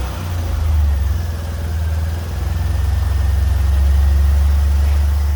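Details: Fiat Punto GT idling on fresh petrol after it had stopped, which owner assumed was empty or dodgy fuel: deep, steady idle with slight rise and fall in level, no misses or knocks; running cleanly.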